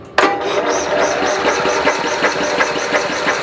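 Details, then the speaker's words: Snapper SR-series mower, 10 HP Briggs & Stratton, stored 10 years, cold day, battery-assisted electric start: starter cranks at a steady pulse about three per second, engine never catches; no spark found. "Alright, I'm not getting any spark. It's gonna fight you. You know, these old things, alright, you know, they've been sitting in a particular way for a long time."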